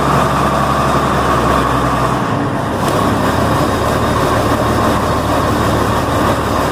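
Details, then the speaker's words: Combine harvester's big clutch-start diesel with no preheat, started hot: steady, even roar with no knocks or misses over yard noise; healthy, strong engine. "This thing is brilliant. Well, at least the engine's brilliant."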